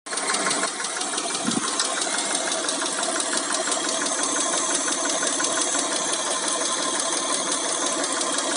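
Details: Mitsubishi Montero Sport 6G72 V6 running with fast, light ticking over the engine, loudest in the upper range and tracking engine speed; hydraulic lifter tapping.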